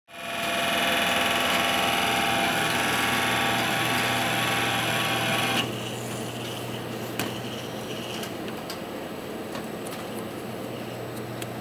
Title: Сильно гудит вентилятор в процессоре интел